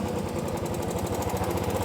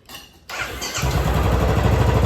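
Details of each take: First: Royal Enfield Classic 350 with fast, even metallic tik-tik tapping locked to the engine beat, quieter at idle and louder as it is revved; loose valve guides in the head, not the hydraulic lifters the customer suspected. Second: Royal Enfield Classic 350 BS6 starting after repair and settling into an even single-cylinder beat, quiet with no tick even on throttle; the tik-tik had come from loose valve guides, fixed by resetting timing without replacing the hydraulic lifters.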